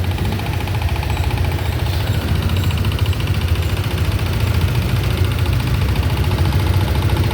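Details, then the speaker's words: Motorcycle, noisy after a clutch cable replacement, owner stopped riding it: loud uneven clacking about three a second over a steady idle, actually a misfire from a loose spark plug cap; reseating it fixed it. "Alam mo kung ano yung umingay? Ayun oh, spark plug cap lang natanggal. Kaya pala lumalagitik-lagatik na."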